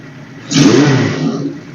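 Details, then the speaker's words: 1978 Suzuki GS1000C four, after carb cleaning, new fuel filter, fresh gas and replaced #2 float needle valve that was stuck and flooding: quick clean throttle blip rising and settling smoothly, no stumble or popping; revving healthy. "So I pulled the bolt and then pulled the float and then swapped that out. So yeah, she's purring now."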